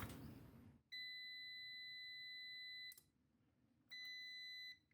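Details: UPS (24V system) on the bench during transformer drive testing with a meter. Loud, steady high-pitched beeps, each a second or two long, repeat about every three seconds as the UPS alarms over a failed transformer.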